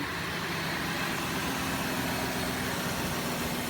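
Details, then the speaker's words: 2005 Cadillac DeVille: idle still lumpy with a faint irregular stumble and steady hiss behind it, better than before but still missing a little; owner thinks it's due for a tune-up. "and it's still running kind of lumpy but it's a lot better than it was yeah this thing's probably and due for a tune-up or something but I just wanted to go ahead and give it a try and see if I could do anything to get this thing to run smoother but it's still still missing a little bit"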